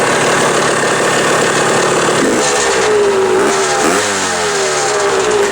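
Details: Old Suzuki two-stroke after a new throttle cable and throttle were fitted: crisp, ringing blips with pitch climbing and falling cleanly on each twist of the throttle, no stumble or misfire; healthy engine.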